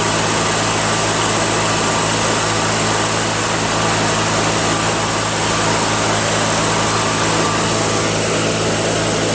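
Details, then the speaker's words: Toro 616Z zero-turn mower with a two-cylinder engine that sometimes ran on one cylinder: a steady, even drone with no misses or stumbles, both cylinders firing. Normal running. "Sounds like both cylinders are working. Sounds great. It honestly sounds fantastic."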